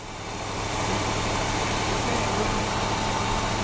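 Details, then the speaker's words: 1976 Chevrolet Nova Concours V8 revived after 35 years garage storage: struggling, uneven, lumpy idle with surging, won't hold idle or stay running; suspected carburetor choke issue or faulty accelerator pump, not confirmed. "Well, it's also a choke issue too. It's not. It's like wide open trying to idle, and it ain't gonna do that."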